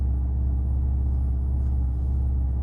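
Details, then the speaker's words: Alfa GTV after in-tank fuel pump swap and DIY pump assembly rebuild: deep, steady engine rumble with no ticks, knocks or whine; new pump much quieter, hardly heard priming. Normal running after repair. "nice the car's done it runs the pump is way quieter i can hardly hear it prime now"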